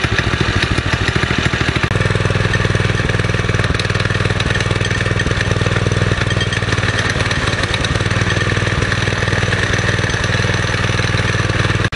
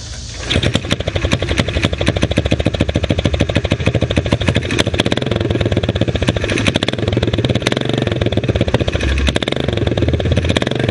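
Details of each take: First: Springer bike small single-cylinder engine after the carburetor idle screw was turned out two and a half turns: now idles low, steady and loping, no longer racing fast enough to engage the torque converter. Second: Springer-style single-cylinder bike after fixing an exhaust leak blowing on the leg: sharp, rapid popping at idle with a loping, stumbling beat; uneven idle, owner suspects the carburetor needs more adjustment.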